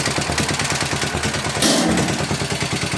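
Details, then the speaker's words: 1961 International Harvester Cub Cadet Model 70, 7 hp Kohler single-cylinder, restarted after a couple hours, choke pulled, half throttle: steady thump about three beats a second with fuel tank sheet-metal rattle, not the engine; runs normally. "Yep, so she was a good runner."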